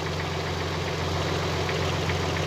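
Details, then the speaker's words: Nissan Z32 idling with covers off while checking for fuel leaks: light rattly knock under the idle from its forged pistons, still a bit knocky. "Yeah, it's still a bit knocky with those pistons."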